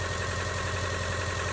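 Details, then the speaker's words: Older Subaru Outback with plug wires and coil pack, flashing check engine light: lumpy idle with a regular dip, P0301 cylinder one misfire, no spark at the plug wire but spark straight from the coil; weak coil and plug wire suspected. "Got a flashing check engine light and then a pretty obvious misfire. I don't know if you guys can tell, but I think it's running bad."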